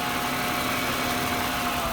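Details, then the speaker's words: 1996 Jaguar XJ6 after oil change, about eight quarts, good oil pressure: even steady idle with no skipping or stumbling, previously skipping; valve cover gasket leaking slightly, normal idle. "oh my gosh she sounds so much better she's not skipping at all"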